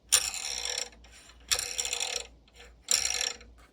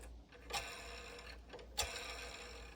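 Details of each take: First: Bambu Lab P1P/P1S/X1C 3D printer Y-axis, top assembly removed and rotated by hand: harsh rasping grind in repeated strokes as a damaged linear bearing slides over a groove it wore into the rod; bearing to be replaced. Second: Bambu Lab P1P/P1S/X1C Y-axis linear bearing, removed from the top assembly, rotated by hand along its rod: faint smooth sliding with a couple of light clicks, quiet here, though a worn bearing grinds mid-rod where it cut a groove.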